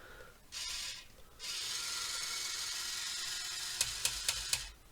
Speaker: so that's the lift the boom there the front loader uh clearly it has a slip clutch that's what you can hear click in there disable at the bottom